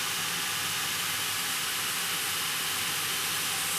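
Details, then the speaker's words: Steam locomotive boiler accumulation test with the fire blowing round: loud, steady roaring steam hiss with no engine beat, the noise getting louder as the second safety valve comes up to lift; both valves lifting normally. "As you can hear, the noise is getting louder, which means he's trying to create above the safety valve. Look. Second valve coming up to lift now."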